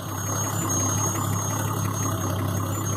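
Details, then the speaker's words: 1970 Triumph TR6, engine fully warmed up after a drive, idling: thin steady high whistle over smooth even idle; normal carburetor intake whine that disappears above about 1200 rpm; runs a little rich. "If you hear that whining, that's just the air intake. It goes away above about 1200 RPMs."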